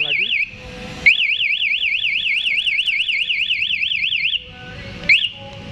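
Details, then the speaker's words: KTM Duke 200 with newly fitted 1-way MP alarm: when armed and the ignition is switched off and back on, a loud high warbling siren sweeping up and down several times a second starts and stops abruptly; alarm triggered as designed. "Ayo kita Opang kontaknya kita cabut kemudian coba di-on kan lagi kontaknya dia ada bunyi lagi coba kita lagi"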